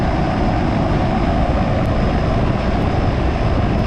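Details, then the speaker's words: Home air conditioner outdoor unit after troubleshooting and replacing a faulty capacitor: a steady fan rush with a low drum-like hum from the compressor, even and unbroken; running normally. "you can kind of hear you hear the fan running but then you also hear that second noise it's that real low kind of drum that is the part that's moving the freon the compressor"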